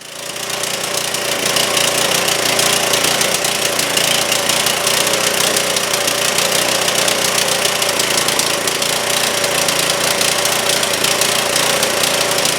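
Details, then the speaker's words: Trailmaster go-kart, Chinese Honda-clone engine sat over a year, after first carb cleaning; loud, rough, uneven popping, runs only on choke and won't stay running with choke released; carburetor fuelling still wrong. "It's running if I choke it, but when I release the choke, it doesn't want to stay running."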